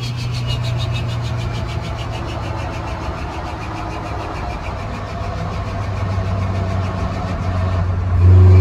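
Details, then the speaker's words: Turbo engine rebuilt after running with the wrong piston rings, on a light-throttle test drive: smooth, even engine note building steadily with no knocks, rattles or misfires. It sounds healthy after the rebuild. "Right, so just took it for a little test drive, and yep, all is as good or better than ever. Well, definitely better than ever internally, but it feels, you know, absolutely fine."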